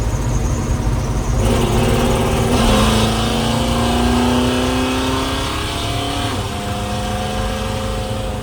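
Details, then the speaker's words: 1979 Little Red Express truck on its first test drive with a new, not fully tuned engine (exhaust leak at the head), shifting into third, kickdown, about 55 mph: a cleanly rising note and an even cruise. Normal acceleration. "Sounds nice. Kick down nice."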